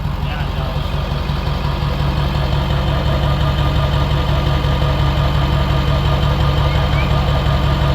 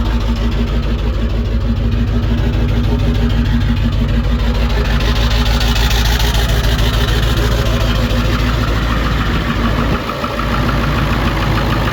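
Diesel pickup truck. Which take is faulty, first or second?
second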